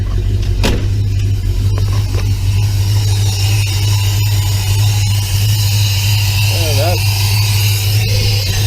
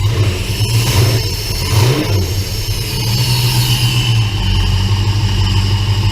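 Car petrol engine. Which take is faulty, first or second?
first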